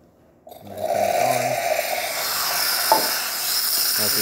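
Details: Gaggia Classic espresso machine, steam wand tested after repair with steam boiler on: short gurgle, then strong steady hiss without spitting or sputtering; normal steaming.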